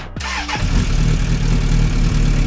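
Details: 1996 Suzuki Bandit GSF600S after carb removal, jet replacement and resizing, air-fuel tuning and fresh gas: brief crank, clean catch, steady even idle with no stumbles; starts and runs great.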